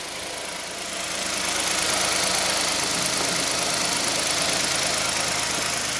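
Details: 2015 Hyundai i10 1.0-litre idling after timing chain replacement: even, smooth idle with only a faint steady whine left; the earlier shushing noise is gone and the chain side sounds healthy.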